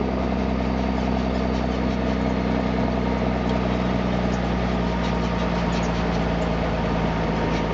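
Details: M35A2 deuce and a half diesel after fitting an AeroTurbine 3535XL muffler: deep steady drone with an even low beat, no knocks or rattles; idling smoothly and healthy.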